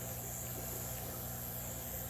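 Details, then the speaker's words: Fishroom air pump on high, resting on its feet: soft steady low hum with a gentle airy hiss coming from the four air valves, no rattle or buzz; the pump runs quietly and normally. "you don't hear a noise from the pump itself the only noise that we hear is just from those valve here"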